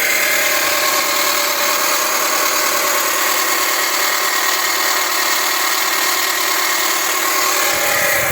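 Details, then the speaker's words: Dodge (Avenger/Journey/Chrysler 200 family) at idle, phone held close: loud, harsh whirring with gritty hiss and vibrating drone; alternator vibrates when touched, main suspect, bearing possibly worn. "pero siempre toco el alternador lo estoy tocando y aquí se siente la vibración nomás con tocar Lo siento Cómo vibra Así que ese es el principal sospechoso"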